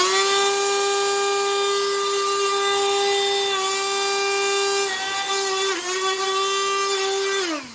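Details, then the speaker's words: Black+Decker CHV1410L 16V Dustbuster after cleaning, earlier had a horrible noise and smell: steady high whine with clean, even overtones, no rattle or grinding, then smooth spin-down; motor runs normally at no load. "That's when it's under no pressure. Or no torque, no load."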